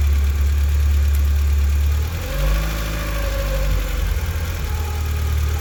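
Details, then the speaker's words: Mk2 VW Golf at idle: high idle that stumbles unevenly and sags near stalling; with the blue temperature sensor connector plugged in it misfires, unplugged it runs fine, so that sensor is suspected after vacuum leaks checked. "So I think this blue connection is some kind of temperature sensor, because, well, obviously that's the problem, because when it's plugged in it idles high and misfires and nearly dies, and when it's unplugged it runs perfectly fine."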